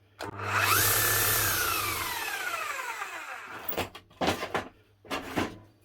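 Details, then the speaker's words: 18-year-old new-old-stock Makita HR5001C hammer, non-runner repaired with a new set of brushes: motor spins up to a smooth, steady whine and coasts down evenly without rattle or sparking crackle; runs like new. "smooth as sulk sounds like a brand new machine unbelievable a € 1,000 machine bought for €100 and a 20 set of brushes put on there and she's up and running"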